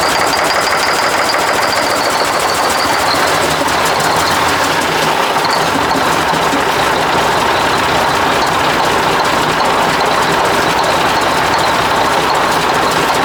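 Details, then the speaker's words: 1980 Mack FR700 diesel truck running after first start in 10+ years: loud, steady clatter holding even speed with no stumbling; healthy run, some smoke from exhaust, a turbo feed fitting found loose afterward. "yeah well that's a bit of success there looks like we got a little bit of out of that exhaust too"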